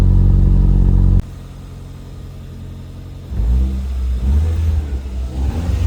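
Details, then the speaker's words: 1996 Toyota Starlet with Glanza V conversion, stock 4E-FTE turbo, 5-speed manual, exhaust valve (Valvetronic) switched on. Loud deep burble, quieter idle, then a smooth bassy rumble as revs climb, mostly from the exhaust tip; healthy turbo exhaust note. "මම දැන් පෙන්නන්නේ Valvetronic එක on කරලා. ඉතින් ටික හොඳ bass rumbling එකක් තියෙනවා. exhaust tip එකෙන් තමයි sound එක ගොඩක් මෙන්නේ."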